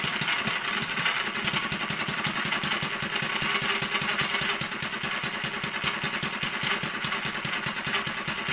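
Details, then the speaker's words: Newly finished Kerzel hit-and-miss model engine, water-cooled with spark ignition, just started after priming the carburetor and still running in with a stiff governor and tight, noisy gears. Pops sharply and evenly about five times a second, firing every beat. Normal running. "Um like I was saying at the moment the engine's still running in. So all the mechanism for the governor is still quite stiff at the moment. The gears are quite tight as well, so they're a bit noisy until it starts to run in."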